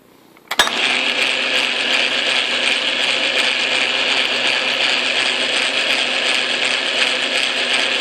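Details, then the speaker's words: Atlas Craftsman lathe after shimming the tumbler gears, run in neutral, forward and reverse; steady gritty gear whir with faint regular ticking, still grumbly as if meshed without enough play: gear noise from insufficient backlash. "still feels a little grumbly like I got something without enough play in it without enough"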